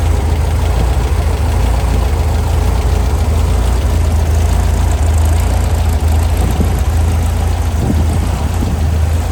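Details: Brand-new Powerhaus VW 2110cc air-cooled turnkey engine for a 1966 21-window bus, upgraded head, dual 44 carbs, on dyno after valve adjustment; deep even flat-four rumble, no tapping or misses; normal running.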